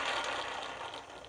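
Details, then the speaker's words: 1990 Honda Civic EF hatch rear wheel bearing spun: gritty crackling rasp fading as the hub spins down; bearing hummed while driving, found during a rear disc conversion. "but the wheel uh bearing is definitely bad on this one you could hear it humming whenever you drive listen"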